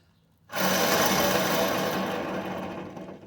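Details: Truck wheel hub spun by hand after removal: a loud, rough, continuous grinding roar that fades as it slows. While driving it caused a rumble heard mostly on the driver's side. Badly worn wheel bearing.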